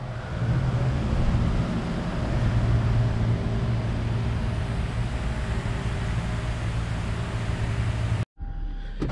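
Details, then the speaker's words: Lexus IS300 with swapped LS1 V8, first running after swap: steady even low V8 idle rumble, no knocks or misses; healthy idle, slight oil leak suspected from external oil filter fitting. "just the fact that it's running is is a big step in the right direction it's just i feel like i'm making real progress just to hear that thing run"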